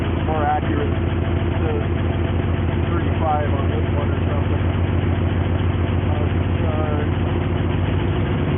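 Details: 1973 Jeep Wagoneer with a retro choke, left to warm up after starting, oil pressure set at 50 pounds. Low, smooth idle holding a steady beat with no knock or tick: a healthy idle.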